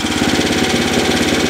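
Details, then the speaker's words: 3-4 year old 5 HP Tecumseh small engine with a loud exhaust, idling: fast steady thumping with a sharp tap on each firing stroke, suspected rod knock from the crankcase, unconfirmed. "I don't know about you but it sounds like it might have a little knock in it I'm not sure though sounds like it's coming from the crank case"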